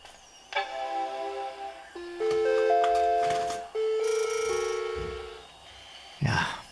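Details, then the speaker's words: Macintosh Performa 450 (LC III) fitted with PS2-style SIMMs: at power-on a run of ringing, school-bell-like notes plays instead of the single startup tone, an abnormal chime pointing to a power-on fault, possibly memory. "this sound reminded me so much of an actual school bell from my youth right here in Switzerland. But that wasn't the only sound coming from this machine."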